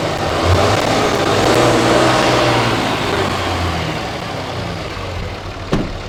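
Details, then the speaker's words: Diesel truck whose turbo failed 12,000 miles after replacement, after no other fault found: revs up smoothly and falls back cleanly with steady rumble, no whistle, knock or grind; sounds healthy. "Nothing, which is excellent. Sounds good. Rev it up a little bit."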